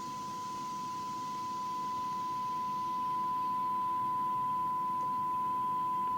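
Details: Chapman S6 BS valve tuner after recap, IF alignment check: a clean steady tone over light hiss as the signal is swept in on the scale; IF measured at 467.5 kHz against a 470 kHz spec, close enough, so the IF stage is peaking correctly.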